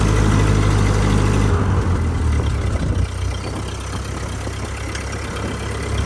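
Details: Steady low, even chug from the 1949 Ford 8N tractor's four-cylinder (about 23 hp, 80–90 ft-lb), pulling in first gear on a non-synchronized gearbox, smooth and regular with no knocks or misses; normal running under load.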